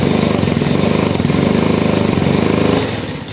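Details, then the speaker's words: Honda Revo motorcycle that suddenly lost power: starts readily but at full throttle chugs unevenly about four pulses a second, rpm won't rise, fading; jumped cam timing or worn camshaft suspected. "Jadi di setar langsung nyala cuman digas itu RPM enggak mau naik, enggak mau wer malah petok petok pretok pretok kayak gitu."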